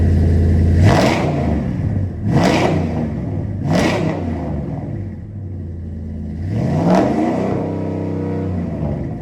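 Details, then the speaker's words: 2009 Dodge Ram 1500 V8 with new short headers, catless Flowmaster exhaust and Rough Country intake fitted to cure Dodge tick: several clean blips settling back to deep even idle, no ticking under exhaust note; normal revving. "The exhaust is all on front and back. O2 sensors are plugged back in. Now let's see what she sounds like."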